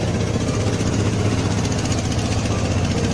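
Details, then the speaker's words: Vespa Matic LX 150 scooter after starter motor (dinamo starter) fix and battery reinstalled: starts normally, steady low even putter with no knocks or rattles, healthy idle. "Kita start. Oke, normal ya. Coba kita matikan lagi. Kita hidupkan. Oke ya, berhasil."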